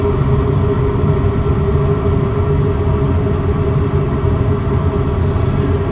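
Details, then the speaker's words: Westinghouse gas furnace in attic, blower just kicked on at its usual very slow starting pace after thermostat raised to 70; smooth steady low whoosh, soft even hum, no rattles or scraping. Normal blower start at low speed. "Alright, now the fan just kicked on. The fan always comes on at a very slow pace."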